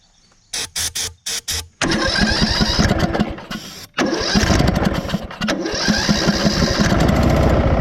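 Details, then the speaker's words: Craftsman LT1000 riding mower after engine swap, first start on starting fluid in the carb with a quart of oil: a few starter bursts, then even rapid putter, no rod knock, sounds good. "tell you what she sounds good so uh i always do that as a test"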